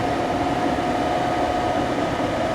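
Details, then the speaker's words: Furnace blower motor at start-up gives a steady, even-pitched electrical buzz under the airflow; capacitor tested good (10.4) and a new one changed nothing, so the motor is bad. "a new capacitor had no effect on that buzzing sound 's like a bad motor"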